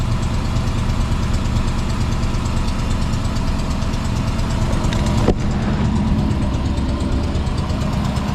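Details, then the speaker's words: Magnum with 5.7 V8 and JBA CARB-legal headers at idle: quick, uneven ticking over the low rumble persists after refitting, an exhaust leak at the header flange from wrongly shaped header ports. "it's still making that sound unbelievable how is that even possible"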